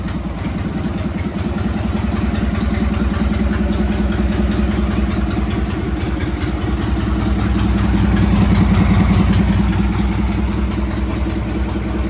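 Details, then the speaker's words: Harley Sportster 883-to-1200 conversion with new Wiseco pistons, rings and cylinders, first start and heat cycle, 79 degrees, 105 on the pipe, in neutral: even, lumpy V-twin idle lifting slightly with throttle, no knocks, rattles or smoke; normal running. "Wow, don't sound bad. I'm supposed to rev it. I'm supposed to be doing a heat cycle."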